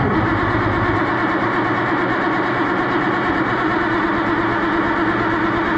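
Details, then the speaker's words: Oliver 1650 tractor after new distributor install; steady starter whirr turning over several seconds without firing; cranks but won't start, acts like no spark, coil power unchecked, cause not confirmed. "it acts like it ain't hitting the lick so switch it out one with you"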